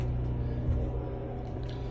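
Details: Cummins Onan 4000 RV generator running, main power on, supplying RV (microwave, slide-out): even low drone, steady hum, no misses, surging or knocking; normal generator running at set speed.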